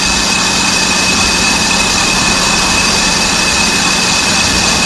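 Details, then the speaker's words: Electric trailer brake drum being resurfaced on a lathe, light cut of about 0.005 in: steady, even hiss of the cutting tool with constant hum, no chatter or gaps; drum cutting smoothly. "yeah hear it that's cutting nice right there but we'll see when we get to the bad spot if it's still cutting all the way around"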